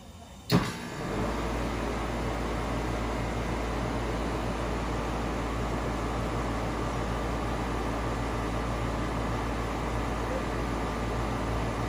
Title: Ar condicionado barulhento